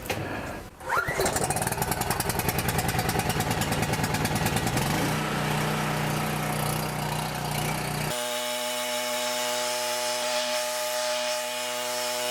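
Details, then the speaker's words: Coleman PowerMate 6560 generator after refitting carburetor gaskets in correct order (they had been wrong): several seconds of cranking, then catches and settles into a steady, even drone at governed speed; runs properly. "And like I said, I'm going to try to adjust this bolt back here to get me as close to 60 hertz at 120 volts with a load on it as I can get."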